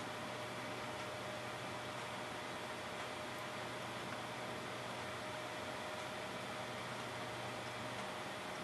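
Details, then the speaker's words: Hard drive that had stopped working, after swapping in a second controller board: a steady high spin whine over faint hiss with no seek chatter or clicks. The platters spin, but the heads aren't seeking, though the drive is visible to the computer. "again I do not hear the hard drive seeking you would normally hear um the absence of clicks does not mean that the hard drive is actually doing its job"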